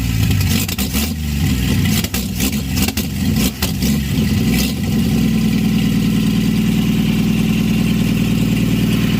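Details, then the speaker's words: 1952 Chevy, weeks after freeing seized rings and a seized carburetor; the accelerator pump is not working. It revs unevenly, then settles into a steady, even idle with no knocks; normal idle. "and now a couple weeks later she's running and idling"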